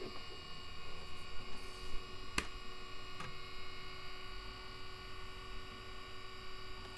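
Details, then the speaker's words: Commodore Amiga with A590 hard-disk expansion, fan connected: a constant high whir with a steady tone over a low hum, much louder than it should be, from a noisy cooling fan. "okay welcome to Retro hell as you can hear this fan is going quite noisy"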